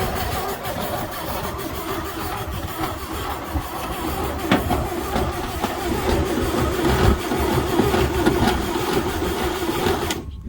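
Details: 1949 Chevy truck after 24 years sitting, ether used after fixing ground cable: slow uneven starter churn about two turns a second, never fires; cranks but won't start, owner suspects ignition points need filing and plans to check coil power.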